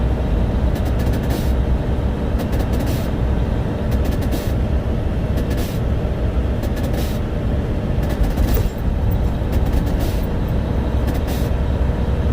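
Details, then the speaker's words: Owner-operator flatbed truck after breaking down following a snow storm: repeated short bursts of air hiss over a rumbling engine as the air compressor pressure relief valve blows off, suspected overpressure. "So at the end of that clip there, you can hear what you're hearing is the pressure relief valve blo"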